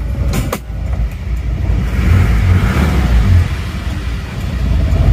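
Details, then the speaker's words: Isuzu Panther diesel, with a crack found at the front: very slow, lurching, wobbling idle clatter with thick smoke, rougher than other Panthers; low rpm and fan-belt noise suspected. "ini mungkin memang efek dari RPM mesin yang terlalu rendah seperti ini kalau goyangnya Emang seperti ini terus suaranya itu saya rasa ini adalah suara ban kipas dan asapnya tebal gitu ya emang agak kasar dibanding dengan mobil-mobil Panther yang lainnya ya"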